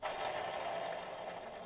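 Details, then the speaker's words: eXmark lawnmower, three or four years old, drive belt removed: a hand-spun pulley gives a dry, gritty rasp fading as it coasts down, a worn-out bearing, not the suspected PTO clutch. "it's shot so that's my noise problem which really is kind of a good thing for me"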